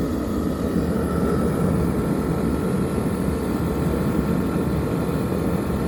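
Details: Teleflex MBU V3 military burner on diesel, refired after boiling 2 gallons of water in under 10 minutes on under one amp hour: steady, even roar of flame and fan, no sputtering, popping or surging; normal burner operation.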